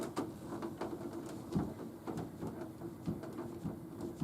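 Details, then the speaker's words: Nautilus U614/U616 exercise bike: dull thumps every half second to second while pedaling with a relaxed foot, gone under heavy pedal pressure; owner suspects the pedal rather than the crank area. "That's the clunking sound. I want to see if I can make it do that sound off the bike."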